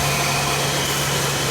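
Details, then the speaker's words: GM vehicle, possibly a 2005, after fixing the ground strap issue that caused a crank-no-start: it now starts and idles steadily with a smooth, even hum, no misses or knocks. "Before no running. Now running for sure. Okay, perfect. Car running."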